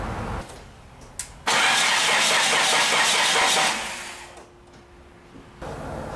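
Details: Nissan Tsuru: the starter cranks steadily for about two seconds but the engine never starts; the fuel pump was getting no voltage, a simple electrical supply fault rather than a failed pump.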